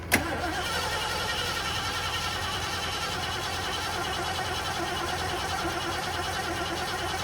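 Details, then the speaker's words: 1973 Ford Gran Torino Sport, 351 Cleveland V8, sat over 35 years, fuel poured in carb, no fuel pump hooked up: steady whirring crank that never fires; no spark, possibly because the HEI ignition wire was left unconnected. "Oh, I know what the problem is. I may have forgot to connect the HEI wire. That might be the reason there's no spark still, guys."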